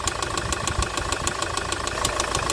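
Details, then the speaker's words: 2011 Hyundai i800 D4CB diesel, idling while warming up, not yet at operating temperature: heavy regular loud metallic bangs about six per second; worn bottom end, crank bearings gone, further running would cause more damage. "so that's going to cause more damage to damage to the engine so as you can hear the loud bonding you know"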